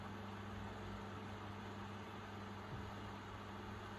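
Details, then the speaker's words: Blower (snail) fan recovered from an electric fireplace heater, previously would not spin, now running on AC after repair: very quiet, even mains hum with a soft airy whoosh, no scraping or ticking; blows air out, very silent, normal running. "And it does. The breeze blows out along the table. That's all there is to it. Very silent."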